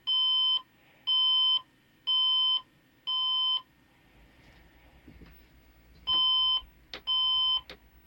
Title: WP 20150111 002 Broken Computer Makes Beeping Noise